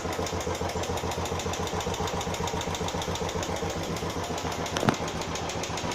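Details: Royal Enfield Classic 350 single-cylinder at idle. Tick noise first appeared about 20 km after the first service and recurred after another 150 km. A light, uneven tick over the thump, about three or four per second; tappet/valvetrain noise is suspected, not confirmed.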